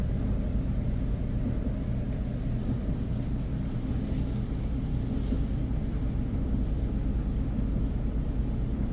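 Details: Whirlpool dryer with a broken blower wheel: it runs with a heavy, uneven low rumble and dull, irregular thumping underneath.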